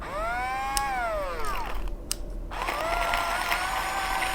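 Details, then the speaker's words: Femobook A5 or Millab E01 battery coffee grinder: motor whine spins up, fades and stops, then restarts with light crunching as beans left after auto-stop; grinder stops before all beans are ground. "okay and now the grinder stopped by itself uh let's just check if there's not any beans still stuck in the grinder"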